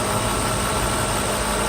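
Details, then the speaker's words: 1994 Mercedes S600 coupe V12 after new mass airflow sensor wiring looms were fitted: a smooth, even cold idle with no misses, with good LH readings and equal ignition timing on both banks. "the computer is basically sitting on the engine right now and rounds really good"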